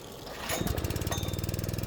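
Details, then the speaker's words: Honda GX160 pressure washer engine test run at full choke after throttle and governor spring replacement, catching quickly into a steady, even putter; running very well, though a leak then appears underneath the pump. "The engine started and sounds like it's running very well."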